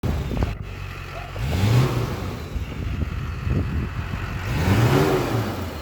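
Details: LB7 Duramax diesel truck after repairing a crank-no-start (loose crank reluctor wheel, injectors not firing, crank position sensor code): even idle with smooth rev blips rising and settling cleanly, no misfire or knock; running right.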